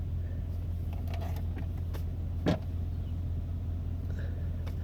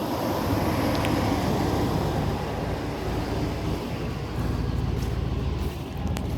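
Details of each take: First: Old GMC truck, about 224,000 miles, idling after a cold 47°F morning start; steady even low rumble, one brief bump midway, no knocks or misses; engine runs fine, only needs body work and the undercarriage is no good. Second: Old GMC Sierra truck cold start on a 47°F morning: starter cranks awfully slow in labored beats about three per second before it starts; weak battery dragging the crank, owner says it won't start in winter.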